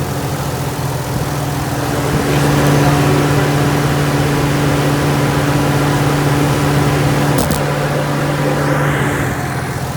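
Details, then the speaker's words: Naturally aspirated (non-turbo) 6-cylinder import with single exhaust outlets instead of stock dual tips: steady even low hum, smooth exhaust note, no knocks or ticks; no bad motor noise, runs smooth. "As you can hear, no bad motor noise. Car runs smooth."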